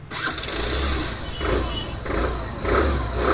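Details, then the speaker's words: Suzuki Access BS6 scooter that stalls when slowing: catches only with throttle held, surging unevenly in bursts and dying when released; TP/idling sensor fault, no steady idle. "Start అయింది accelerator వదిలామంటే ఆగిపోయింది ఇలాంటి complaints vehicle లో ఉన్నప్పుడు ఏందంటే మనకి లోపల TP censor వస్తది ఐలిలింగ్ censor ఐలిలింగ్ censor complaint వచ్చినప్పుడు ఆ విధంగా వస్తది"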